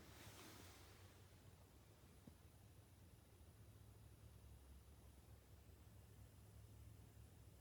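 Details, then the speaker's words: Buried frost-free water hydrant in a barn leaking underground at about 360 gallons a day: a steady low rushing hiss heard with the ear near the hydrant, from water escaping past the valve; parts ordered for a rebuild. "You hear that? That's what 360 gallons a day sounds like. This thing's leaking. And it's leaking out in the ground."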